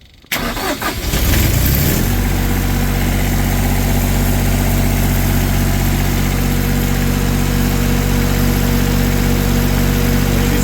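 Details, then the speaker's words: Diesel engine started with glow plugs right after an oil change (old oil pumped out warm with a manual fluid extractor, new oil added); brief crank, quick catch, steady even diesel clatter with no misses; normal start and idle. "Alright, so I've got my oil in, my cap back on, we'll crank it up. Glow plugs."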